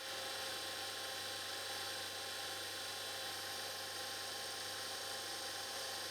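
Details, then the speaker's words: Panasonic S-VHS VCR PV-VS2841 (2003) after maintenance: quiet, steady high whir on fast forward with tape threaded, no shriek or squeal; transport running normally. "it's quite amazing how fast this is going with the tape all threaded through there isn't it"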